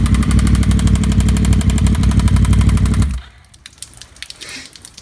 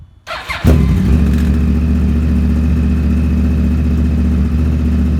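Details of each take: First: 2009 Yamaha R1 with Graves shorty exhaust, started before teardown: loud rough engine with fast steady knock about four per second, then shuts off; rod knock, later found overlapped connecting rod bearing and slightly damaged crank. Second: 2009 Yamaha R1 after rebuild for rod knock with new connecting rod bearings and sanded crank, Graves exhaust fitted: starts at once into a deep, even idle with no ticking or rod knock; normal idle.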